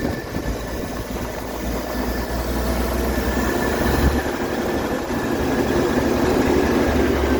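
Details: 1967 Chevy van with 250 six, after replacing the valve cover and torquing bolts: steady even smooth idle with no ticks or knocks; running healthy.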